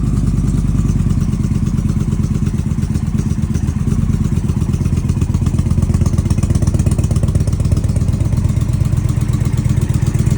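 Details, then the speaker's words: Indian Challenger motorcycle after exhaust leak fix, pipe removed, cleaned, coated inside with Permatex high-temp exhaust sealant and retightened; started up, steady deep low idle pulse with no ticking or puffing from the exhaust: leak resolved. "cranked the bike up, and success."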